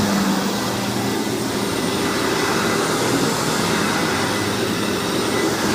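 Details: Hoover WindTunnel vacuum test run after rebuild: loud, steady rushing roar with constant motor whine, no grinding, rattles or speed wobble; motor is known as loud on this model, running fine.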